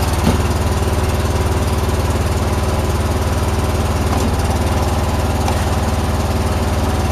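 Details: John Deere mower engine at 472 hours, back from the shop with new plugs (the old ones were fouled) and a new fuel filter (the old one had dirt in it): steady, even single-cylinder putter with no misses or knocks. It is running normally.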